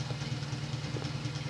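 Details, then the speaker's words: Late-1970s Emerson 52-inch friction-drive ceiling fan, speed raised slightly: rapid steady low thumping and loud rumbling knock. Caused by a deformed rubber drive wheel on the motor driving the metal blade hub. "so we're going to turn the speed up a little bit maybe an eighth of a turn yeah the friction drive is loud as hell"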